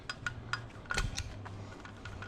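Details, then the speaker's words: 2005 Honda TRX450R engine during a rebuild from the cases up, countershaft turned by hand via a sprocket: sharp, crisp detent clicks as the gearbox shifts from neutral into first, second and third, locking in each gear without grinding. "so it locks in gear so there's first then let's go up there's second third you can hear it click"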